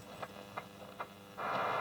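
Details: Roberts R500 radio after a recap and service: a few sharp clicks, then a loud steady hiss on shortwave. The interference comes from the semi-switching bench power supply, whereas a linear supply is quiet.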